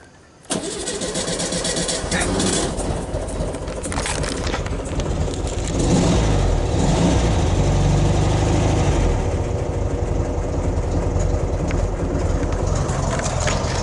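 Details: 1969 VW Beetle, 1500cc air-cooled, push-button cold start: brief crank, then the engine catches and runs unevenly with a lumpy beat. Owner says the engine is cold and the auto choke isn't the best; it needed a restart. Rough cold start.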